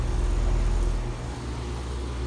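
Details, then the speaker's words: ICP Comfortmaker system with jacketed compressor, after replacing variable-speed furnace blower motor: low, even hum with no rattles, buzzes or squeals, hot air coming out; compressor and fan running quietly and normally. "okay she's running fairly quiet as you can hear we have hot air coming out of it"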